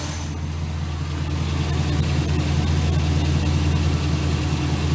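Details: 2006 Chevy Silverado 1500 4.8 V8 after oil pressure sending unit replacement: steady, even idle with a smooth low rumble and no knocks, ticks or misses; engine sounds healthy, repair a success.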